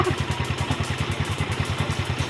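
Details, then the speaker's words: Yamaha Mio Sporty after full CVT upgrade (JBT 1000 flat spring, Sun 1000, JBT pulley, RS8 lining, 8-9 g rollers) replacing badly worn stock CVT: even quick low putter, no drive rattle or chatter; very quiet, healthy transmission, lining still bedding in. "Titestingin na natin. Wow, tahimik na tahimik."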